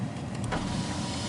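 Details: 2016 Nissan Juke, rear power window worked from the driver's-door switches while the front passenger window fails: a smooth, even motor whir as the glass travels, ending in a soft thump at the stop; normal power window operation.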